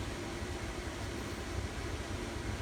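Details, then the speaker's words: Camper furnace on a newly wired Honeywell 2300 home thermostat, delivering heat after ignition and purge with wiring unchanged: steady even blower rush over a low hum, no rattles, squeals or surging. Normal operation. "Alright, feel. No. Yep. We got heat? Yep."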